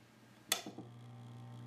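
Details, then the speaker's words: 1940s ManSon Small Machines miniature lathe, restored with a new power cord, wiring inspected and switch tested, first power-up before the drive belt is fitted: switch click, then a low, steady, quiet hum, no rubbing or rattle; motor runs normally. "and listen to that we have ignition now let's add the drive belt and see how we do with the headstock"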